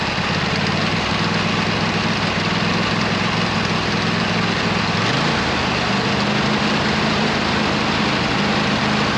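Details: 26 HP Kohler V-twin mower engine, previously misfiring on one cylinder, fitted with new OEM Kohler ignition coils: steady, even drone holding constant pitch, no misses or stumbles, small speed shift midway; ignition healthy.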